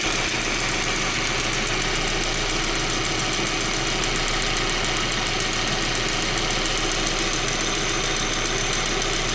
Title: 1.8t ticking noise. Part 1